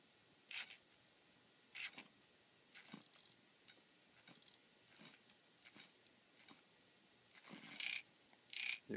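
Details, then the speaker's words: Tekin ROC 412 brushless motor jerks out short knocking bursts on each throttle blip instead of spinning up smoothly; the knocking comes and goes, and a firmware downgrade is tried as the fix, cause unconfirmed. "okay so here again motor still knocking as you can hear right now I'll just go ahead a bit comes back goes away comes back goes away"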